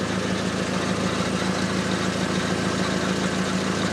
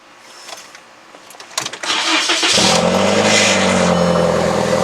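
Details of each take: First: VW Jetta running, car jacked up: faint regular tick, roughly two per second, over a steady idle hum; a small exhaust leak near the oxygen sensor, later located with soapy water. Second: VW Jetta, morning start after an exhaust leak was sealed with exhaust putty: quick crank, then a steady, even run with no ticking or puffing under a light rev; the leak is fixed.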